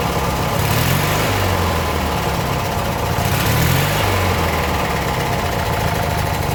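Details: Abandoned 1996 Briggs 17hp I/C flathead opposed twin, running on its own for the first time in over ten years; the weak battery couldn't crank it fast enough. Steady low chugging, even and settled, no misses or knocks; normal running.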